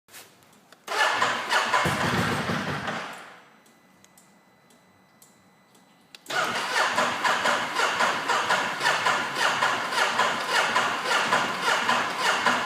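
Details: Ducati Multistrada S DVT motorcycle: two long bursts of fast, even starter cranking with a pause between, no firing; cranks but won't start, a recurring problem.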